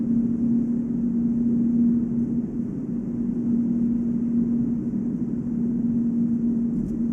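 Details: Volvo S80 on brand-new 245/40 R18 Goodyear Eagle F1 Asymmetric 6 summer tires: steady one-pitch hum only around 145 km/h (±5), over road and wind roar; unchanged when accelerating, braking or cornering, no wheel play; owner suspects tire tread or rim design, not the wheel bearing.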